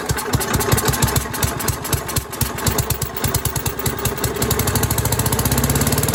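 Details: Troy-Bilt chipper/vac, 5 hp single, sat for years, restarted after replacing the fuel line: small single thumps at a steady, even beat that settle into a smooth, faster run, firing cleanly with no misses; normal running.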